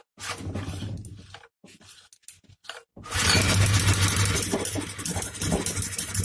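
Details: Hyundai portable generator brought in for a sharp metallic sound inside: after some clatter the engine catches and settles into a loud, steady hum with a low drone; generator running evenly.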